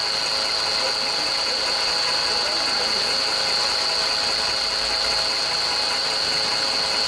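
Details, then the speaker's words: VW Polo 4 engine running: steady high-pitched whine with dense fast ticking chatter. Abnormal engine noise, source not identified. "عندنا هذه قلوب 4 قلوكات فيها صوت غير عادي في المحرك."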